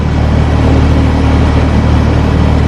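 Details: Carrier unit with newly replaced Copeland scroll compressor at startup, compressor drawing 9.8 amps, fan 1.2 amps, being checked by superheat: loud steady low hum with even fan rush, no rattles, knocks or pitch swings; normal running.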